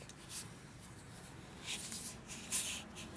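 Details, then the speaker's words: Dayton 240V 7-1/2hp shop air compressor motor, shaft turned slowly by hand during repair. A big rubber seal was refitted inside by mistake, and soft uneven scraping swishes are that seal dragging on the shaft for lack of clearance. "hear the rubber in there. It's dragging on the rubber from lack of clearance."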